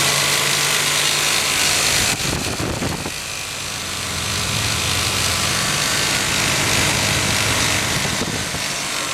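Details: RB26 engine in an R33 Skyline GTR during break-in, at a steady 3,000–4,000 rpm: fast, tinny rattle from the front of the engine, either the head or the fan; its pitch stays constant with rpm while its volume changes.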